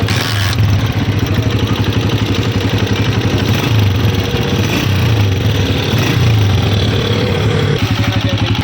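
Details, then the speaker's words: New 2026 Honda CG 125 motorcycle at idle: light fast ticking clatter over the thump from loose tappets (valve clearance), which the factory sets slightly loose on new engines; fixed by opening tappet covers and adjusting. "खोलने के बाद जो आवाज़ आ रही थी, ये टैबलेट की आवाज़ थी। टैबलेट ढीले थे।"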